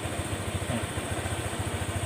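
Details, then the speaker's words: Honda Click 125 scooter at 160,000 km, after the knocking crankshaft/connecting rod assembly was swapped for a good spare: soft, even putter at about nine beats a second with no knock or clatter; quiet normal idle. "ยกตัวนี้ออกแล้วก็ยกของผมเนี่ยที่มีอยู่เนี่ยจับใส่แทนนะครับก็จะเงียบแบบนี้เลยนะครับ"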